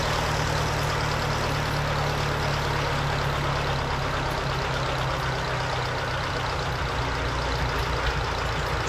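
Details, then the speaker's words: Lincoln Electric SA-200 welder gas engine with a new Zenith carburetor, stop assembly backed out so it barely runs on the low idle circuit for setup: steady, slow, slightly uneven idle; normal low idle. "I have to make sure it's on the low idle circuitry so I'm going to run the stop assembly out to where I can it'll just barely be running when I'm doing this"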